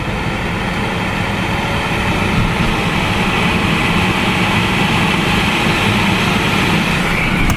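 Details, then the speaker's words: 2007 Mercedes S550 W221 after blower motor and resistor replacement, fixing A/C and heat that would not work; steady even rush of air from the dash vents that drops as the fan is turned down, no ticking or rubbing, normal blower operation. "and let's turn it down and you hear it go down so that means everything is working like it's supposed to be working"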